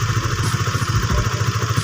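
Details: Honda Sonic 150, worn camshaft cover (from dry oil) repaired with an RXZ connecting rod, over two years and hundreds of km later: steady, even single-cylinder putter with no ticks or knocks; repair still holding, normal idle.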